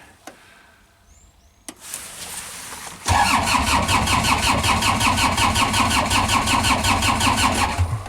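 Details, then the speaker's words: GEHL skid loader diesel after engine swap, glow plugs powered: starter spins engine with quick even compression pulses about five seconds but never fires; fuel shutoff solenoid probably not doing anything. "so that circuits energized however our fuel solenoid is probably not doing anything"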